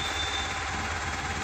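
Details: Mahindra Supro BS6 diesel idling steadily after a no-start fix: a faulty six-month-old replacement motor was swapped back for the original and codes moved to history. Smooth low rumble, no knocks or hunting, 133 km reading gone; normal idle.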